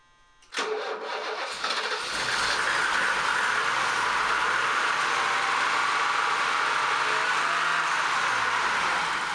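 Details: BMW E28 M535i first start after sitting for a long time, after refilling empty tank with fresh gas, replugging crank position sensor and fitting a swapped-in exhaust: quick crank, prompt catch, small rev, then steady even idle, no misses or knocks.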